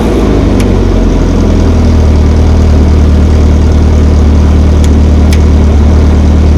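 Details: GM Ecotec four-cylinder swapped into a Baja Bug, first-ever start-up in neutral: loud, low, fairly steady running with no knocks or rattles; fired right up, slight burble just off idle.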